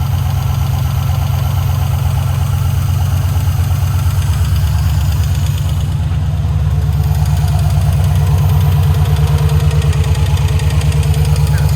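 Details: 1968 Ford Bronco with Chevy LS swap on Terminator X, first start: steady V8 idle with light, quick ticking over the rumble from 4 bad lifters, since replaced. Lifter tick.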